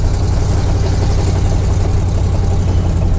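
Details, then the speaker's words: Square-body truck with Oldsmobile 350 Rocket V8: loud, raspy low rumble with ragged chuffing following engine speed; exhaust pipe broken off, two exhaust leaks down by the headers. "Got an exhaust leak to fix. Two of them actually, right down by the headers. It's busted off."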